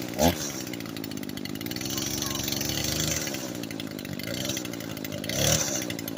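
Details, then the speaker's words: Echo SRM 225 two-stroke string trimmer after repair, previously wouldn't start and bogged out: buzzes at a steady high pitch and holds revs evenly with no stumbling or dying; fixed. "So yeah, guys, I got it fixed. So yeah, my friend's gonna be a little bit happy."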